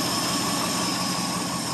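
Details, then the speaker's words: 1970 Ford F100 Ranger XLT, 390 FE V8, cold start after sitting about three to four years: even, constant idle with smooth drone and faint high whistle, no ticking or stumbling, no smoke; runs nicely; known rear main seal leak. "he does run pretty nice"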